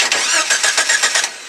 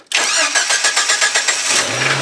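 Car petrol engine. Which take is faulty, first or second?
first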